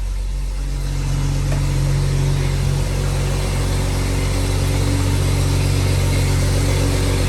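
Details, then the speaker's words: BMW M135i after seized-engine rebuild with reground crankshaft, first cold start: smooth, even, deep idle with steady low drone, no knocks or ticks, revs dropping from cold-start level; healthy cold idle. "but that engine sounds perfect now that's exactly how i wanted to be sounding as you can see the reds have now dropped down from the cold start"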